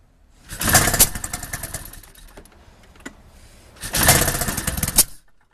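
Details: Powder Special 700 that won't start despite trying different carburetors, removing the steering safety switch and a starting-fluid leak test: two short ragged cranking bursts fading out with no catch; cranks but won't start.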